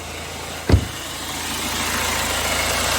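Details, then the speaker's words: 2009 BMW 320d diesel with 443C cylinder 3 injector misfire fault and engine light, now idling steadily with an even low hum, not misfiring at present, after one handling knock — smooth idle. "the engine's nice and smooth."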